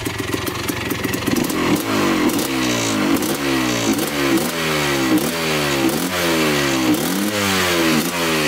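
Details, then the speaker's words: 1984 Yamaha YZ490 two-stroke, choke off, first ride after brief warm-up: repeated throttle blips with soft, slow-climbing pickup, boggy throttle response, seems to be running rich. "no pretty foggy we're still gonna take him for a trip with the GoPro"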